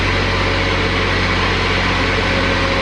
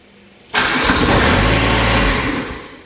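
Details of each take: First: Exmark XS diesel 60-inch zero-turn mower after replacing the fuel solenoid, glow plugs 15 seconds; steady even diesel clatter with smooth constant drone, no stumbling or misses; normal running. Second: Exmark XS diesel zero-turn mower, parking brake on, throttle about a quarter, glow plugs heated 15 seconds: engine catches cleanly, runs evenly about two seconds, then winds down and dies; failed fuel shutoff solenoid.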